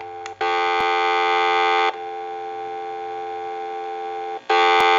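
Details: Western Electric glow phone after repair, dial tone through the rebuilt handset's added volume switch: a steady, clean dual-pitch hum, loud, then a little quieter, then loud again. A normal, healthy dial tone.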